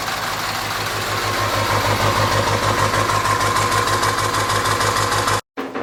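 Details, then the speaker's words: 1946 Ford with a turbo diesel, first run after sitting a long time, no radiator fitted: an idle clatter with slightly uneven pulses and a faint turbo whistle, skipping a little. "She's skipping a little bit. I guess that's to be expected. It sat so long."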